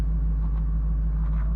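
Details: Ford F250 plow truck idling after starter work following broken starter bolts; deep, steady low rumble with no misses, knocks or grinding, idling smoothly.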